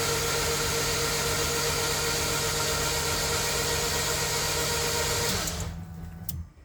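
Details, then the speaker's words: Freshly built K24 engine just reinstalled in a Honda CRX, cranked with injectors disconnected and spark plugs out. Even, steady starter spin, free and consistent, with no knocking or internal noise, a healthy rotating assembly. "good news is the engine sounds very consistent guys I hope you guys heard that there's like no noise at all it just sounds like a free spinning engine no no type of knocking or noise coming from inside"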